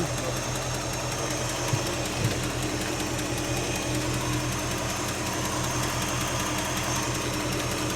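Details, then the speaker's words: 1967 Mercury Cougar at idle; quick light ticking keeping time with engine speed, located by stethoscope at the exhaust manifold with black carbon visible at the edge, an exhaust manifold leak. "That one's really loud. At the exhaust. Yeah, that's it."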